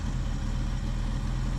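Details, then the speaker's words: 1976 Ford Ranchero 500 V8 after new timing chain and oil pump install, intake sealed with no leaks, warming and burning off oil: deep steady even rumble, no ticks or misses; owner says smoother and tight now; healthy idle. "it runs great now with a new timing chain boy it really runs good I can tell the difference smoother you can hear and feel the cam doing its job it's it's tight now"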